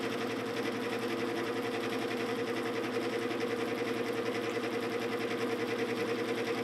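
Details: 1950s GE F11W3 window fan, motor before oiling, spins down too quickly: steady motor hum with fast, even flutter, about three beats a second, and a faint mid tone; dry motor running noise.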